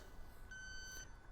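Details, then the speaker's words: Robin Air R134a/HFO-1234yf refrigerant leak detector: one sharp, high-pitched half-second electronic beep over a quiet background as it detects a small test leak made by depressing a Schrader valve. "we're gonna create a small refrigerant leak and we're gonna see if it fix finds it as you can hear it's picking up refrigerant"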